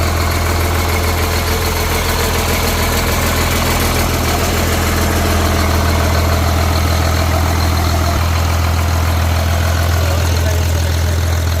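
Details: Caterpillar C7 diesel from a 950 loader, test-started on the ground after overhaul: steady, even idle with a smooth low rumble and regular beat around 200 a minute, no knocks or misses; normal idle.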